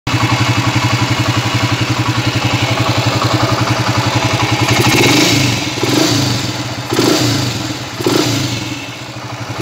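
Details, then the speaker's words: Honda TMX155 single-cylinder motorcycle runs noisy and rough with a hollow, tinny clatter growing with throttle blips; worn timing gear, to be replaced. "guys yan ah maingay na po ah magaspang na yung andar tunog lata yan ah magpapalit po tayo ng timing gear dito mga ka- works ah basag na po ung kanyang andar hindi na buo okay"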